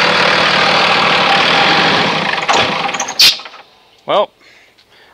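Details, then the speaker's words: 2001 Dodge Ram 2500 Cummins 5.9L turbo diesel with aftermarket FASS lift pump, after a fuel filter change with the canister not primed enough: fires and runs rough a few seconds, then dies from air in the fuel. It restarted after cycling the key 10 seconds twice. "So, ran out of fuel. 10 seconds twice and it fired right up. That happens from time to time."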